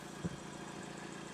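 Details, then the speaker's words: Used Hyundai donor engine with 212,000 km, oil slightly overfull, evidence of regular servicing; quiet, even hum after a rev-up with no knocks, puffing or blow-by; normal running. "It's sounding a lot better. Give it a rev up. No blow-by, which is a good sign."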